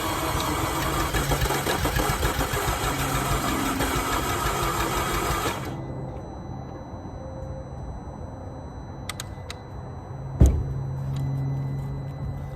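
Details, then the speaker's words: 2011 Audi Q5 2.0T with 88,000 miles, code P0016: the starter spins the engine unusually fast and evenly, with no compression pulses and no catch; timing is believed jumped from a stretched timing chain. "Now, if you'll notice, it went ring, ring, ring, ring, ring, ring, ring, ring, ring. It was a fast spin. It was the rotational noise"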